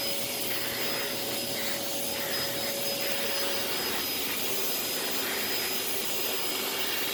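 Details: Thrift-store Samuel canister vacuum, dirty filters and needing cleaning, slight smell: smooth even high whoosh, faint steady whine, quieter, no grinding or surging, strong suction; normal vacuum motor running.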